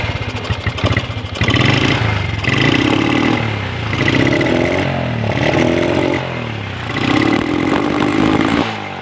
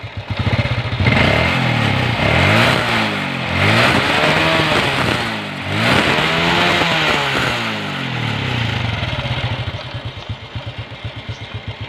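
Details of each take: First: Honda Revo motorcycle, air filter housing cleaned and new spark plug fitted: repeated throttle blips stumble and sputter, engine won't rev out freely; carburetor needs servicing. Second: Honda Revo motorcycle after its carburetor was air-cleaned, spark plug renewed and air screw set to 1.5 turns; it previously sputtered and wouldn't rev freely. Clean throttle blips rising and falling smoothly, then an even idle: normal revving.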